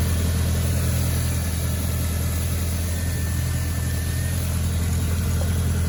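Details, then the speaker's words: Audi B6 1.8T after replacing the broken idler pulley and setting serpentine belt tension: steady, even low idle with smooth rumble, no chirp, squeal or knock; running normally. "I think everything is working okay. Yeah, guys, we should be good."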